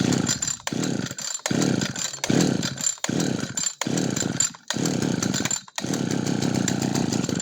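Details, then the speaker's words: Yanmar (Kyoritsu) 209D small two-stroke engine with hard-to-source carburetor, started without choke after over-priming: repeated short pulls with rough, boggy bursts cutting out, then it catches; excess primed fuel flooding carburetor. "โอเคนะครับนี่ทำให้ดูกรณีที่เราแย็กน้ำมันตึงมากๆนะครับตึงมากๆเนี่ยน้ำมันมันมีโอกาสที่จะท่วมข้างในได้นะครับ"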